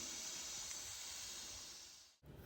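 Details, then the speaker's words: Wanderlodge bus with Detroit Diesel 6V92TA: steady high airy hiss from the air switch locking the steering column, cutting off sharply when released; the switch leaks badly. "all the way up just that the switch leaks really bad"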